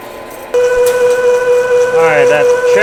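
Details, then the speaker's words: Boring a 19-inch sprocket bore on the Lion lathe at 250 RPM, 0.050 in pass with coolant: a steady high ringing squeal, boring bar chatter, as the cut reaches the harder center plate; plan to slow the spindle down. "yeah so the center plate of the sprocket is different different uh hardness or whatever and it's not happy so we're going to have to slow down to uh get through that"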